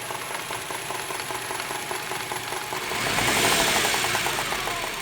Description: Trying to figure out if the sound I am hearing is a rod knock...206,000 miles on the clock.